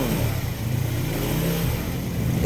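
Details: Honda Supra/Grand 100 motorcycle with a complaint of heavy starting and rough knocking from the head at low rpm, after cleaning clogged oil passages and replacing gaskets: a low, even rumble with no head ticking. Oil flowing; normal running after repair.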